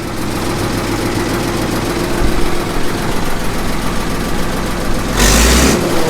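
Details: 1954 Caterpillar No. 6 track loader (shovel) diesel, first start after 15+ years stored in a barn, decompression lever now off: slow, heavy beat running steadily with a burst of noise near the end; running properly, a slight tick remains.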